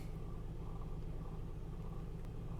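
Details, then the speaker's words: 2003 Honda Odyssey 3.5L, check engine light, code P0305 cylinder 5 misfire, idle just after start still in open loop: uneven lumpy low rumble with stumbling beat, engine shaking; ignition coil not firing. "so I'm going to start the engine the engine is definitely shaking we're still in open loop"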